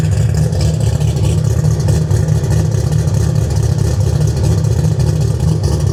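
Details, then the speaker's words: V8 with an ACES Killshot kit, true cold start at about 50° with cold start not yet tuned: deep, steady, lumpy idle with an even beat and no knocks or ticks; sounds healthy, ignition advance around 18°. "I don't know what the audio is going to sound like but here's a true cold start this thing is ice cold"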